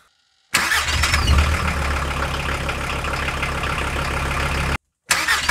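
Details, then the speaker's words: 1993 Volkswagen T4 after starter motor replacement with a new unit: brief clean crank, engine catches at once and settles to steady idle, no grinding or whirring; old starter made weird noises, likely not spinning fast enough. "all right guys so as you could hear the car starts fast without any noise before this starter was making some weird noises because probably this one was not putting the enough RPMs necessary for the engine to start easy"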